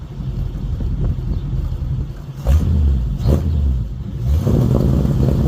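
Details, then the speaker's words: 1951 Mercury with 30-inch Smithy mufflers, before cutting them off for straight dual pipes; low muffled rumble rising with a few throttle blips, no knocks or rattles, good tone but not very loud, healthy exhaust. "it's got a good tone to it but just not very loud"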